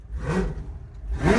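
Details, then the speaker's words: Blown V8 burnout car "Shut Up", tune check, temperature holding steady at about 95: two sharp crisp blips with no misfire or stumble; sounded phenomenal, tune slightly rich as wanted for burnouts, about on the money. "It sounded phenomenal. Now, being burnouts, we still want it a little bit on that fat side."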